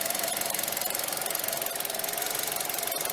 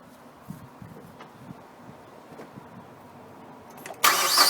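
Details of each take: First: Rough, erratic, wavering petrol idle on an old Mazda 6 2.0 that is also using a lot of fuel; intake air leaks checked and none found; throttle body and MAF sensor to be cleaned. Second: Mazda 6 2.0 petrol, previously rough and erratic idle with high fuel use, restarted after cleaning throttle body, gasket and MAF sensor: cranks briefly, catches, flares, then settles into a smooth steady idle, better than expected.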